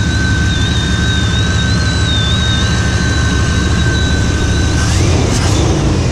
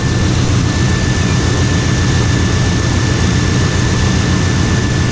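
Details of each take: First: 1995 Chevrolet Suburban K2500 with 5.7 TBI, after a water pump change: loud steady high whistle from the engine bay that bends upward briefly with a rev; owner suspects intake whistle, unconfirmed. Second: 1995 Chevrolet Suburban K2500 5.7 TBI after its water pump replacement, cold day, heat on, no more leaks: a steady, even low rumble with fan hiss, no knocks, ticks or misses; normal idle.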